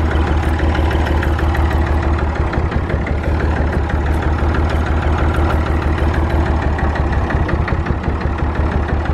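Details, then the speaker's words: Massey Ferguson 35 tractor, rarely run, started to keep it alive: loud, uneven, lumpy idle about three beats a second, firing on only two or so cylinders; one cylinder was honed at rebuild and not worked in, thought to need work. "You can hear it was only running on two cylinders or so. It's because the one cylinder got honed out when it was rebuilt and it hasn't been worked, it's just sat, so he thinks it needs to be worked."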